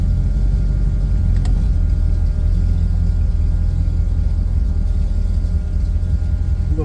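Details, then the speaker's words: V8 fitted with a new electric fuel pump (Holley Sniper setup) on a shakedown run: deep lumpy idle with a faint steady pump hum, heard only at idle; any throttle masks it. "so far I really only hear it at idle once I have any gas on it the throttle takes care of the noise of the pump"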